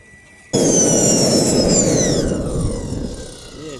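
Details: RT130 turbine after rebuild, reaching about 118,000 of the expected 120,000 rpm with about 13 kg thrust: loud whine sliding down in pitch as it spools down over a rough hiss; impeller rubbing the housing lining.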